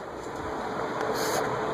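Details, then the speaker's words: Venton (VEC) 48 in cast-iron industrial ceiling fan, likely 1970s or earlier, on high speed: even airy rush with faint motor hum and no bearing grinding or ticking, though bearings were noisy at lower speeds. Normal running. "no noise on high it's a little bit of motor noise but no uh bearing noise"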